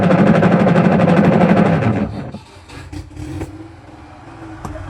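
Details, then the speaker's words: Washing machine run with the pulsator removed to test the gear case: a loud, rough grinding churn for two seconds. Still very noisy without the pulsator, so the gear case is faulty; the timer also stops intermittently. "Dahil kung pag nag-iingay pa rin ito, ibig sabihin may problema yung kanyang gear case."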